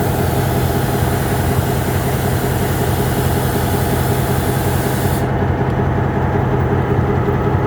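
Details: MP15 switcher locomotive on DO-1 that started right up, unlike the second unit that had a hard cold start on weak batteries; deep, even diesel throb at a steady slow beat, no misses, knocks or hunting, healthy idle.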